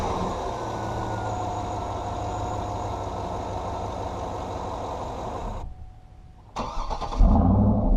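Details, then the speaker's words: 2010 GMC Yukon Denali V8 running warm: smooth, steady low even hum, shuts off, then fires right back up and settles; normal warm start and idle. "Let's go ahead and start her up and let you hear how she sounds under load, as well as just starting up warm."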